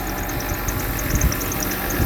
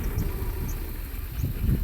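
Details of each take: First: Mercedes W126 300SE, M103 3.0 L inline-six converted to a Voltarent ECU, still being tuned: low, steady idle rumble with no knocks or misses; normal idle. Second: Mercedes W126 300SE, M103 3.0 L inline-six on a Voltarent ECU, idling with cylinders five and six deliberately disabled: low, lumpy rumble with uneven bursts, labouring and dying away; rough running and stalling on four cylinders.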